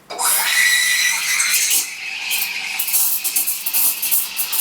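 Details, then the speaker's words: Vibiemme Double Boiler v3.0 espresso machine steam wand frothing milk in a half-full 20-ounce pitcher tilted 45 degrees: steady hiss with soft swishing flutter, no screech or gurgle; proper froth building. "if you hear the swishing sound, that's good because that's going to build your froth."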